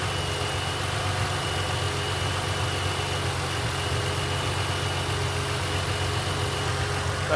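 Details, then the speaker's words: 2007 Mustang at start-up right after an oil change with the filter not yet filled: steady idle with a light, quick lifter tick over the hum while oil is not yet circulating. "you can hear a little bit of ticking from the oil not circulating through"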